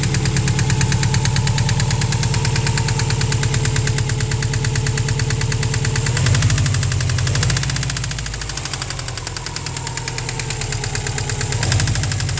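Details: 2003 Subaru WRX EJ20G short block at idle with a deep, even metallic knock about three times a second; rod knock from a spun rod bearing, engine finished.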